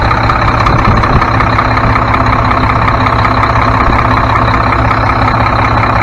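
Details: Mack MP7 diesel truck idling right after turbo and actuator replacement, coolant burning off: steady, even deep low rumble, no knocks or misses, no major leaks; engine sounds healthy and settled.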